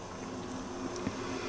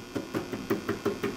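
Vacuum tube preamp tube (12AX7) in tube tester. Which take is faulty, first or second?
first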